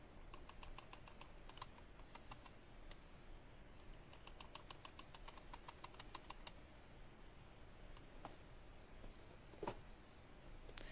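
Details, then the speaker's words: Logitech G303 mouse shaken, giving quick plastic clicks: the optical lens under the sensor is not tied down and rattles loose. "are probably wondering what's causing that weird not to noise and yeah that's the optical lens that is under the sensor and it's not tied down properly so we are going to fix it now"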